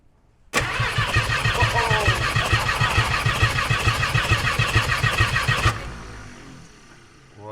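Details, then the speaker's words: 1951 Chevrolet Fleetline project, battery just fitted and only some spark plugs in: steady, even cranking pulses for about five seconds with no firing; engine turns freely on its own starter but does not catch. "that's pretty good. That's nearly a runner. Yeah, nearly is a runner. That's nearly a runner."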